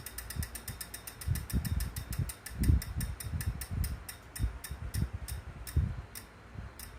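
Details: Wahoo trainer after 30 minutes warm-up, still noisy after cleaning: uneven low thumps and clattery ticks in bursts as it spins; mechanical noise, source not yet found.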